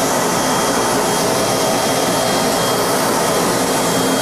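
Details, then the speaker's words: 4.6 hp regenerative blower with its inlet blocked for load, run at about 490 V through a homemade step-up transformer from 240 V input, drawing about 5.6 A with balanced phases: steady, even whooshing roar with a faint high whistle; start relay works fine. "hey start relay works great not a problem in the world"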